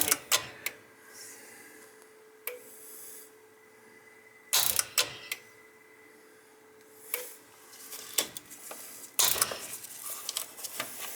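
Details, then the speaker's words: Roughly 20-year-old gas boiler with no heat: sharp irregular clicks every few seconds over a faint hum, with no burner lighting; suspected bad relay box or possibly the smart valve, not confirmed. "Yeah, it sounds like you might have a bad relay box there."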